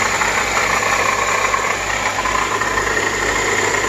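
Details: Acura TSX after replacing the belt tensioner and new serpentine belt: steady idle with a constant high whirring whine on top; worn water pump bearing (power steering pump also considered); water pump then replaced.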